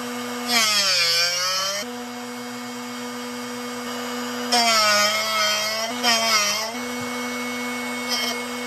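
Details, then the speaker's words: Drill Doctor XPK sharpening a 118° drill bit, rotating it in the chuck: small motor hum with rasping grinding bursts against the wheel; keep sharpening until the grinding noise stops, indicating the bit is done. "you want to keep sharpening until you don't hear that grinding noise that's when you know you're"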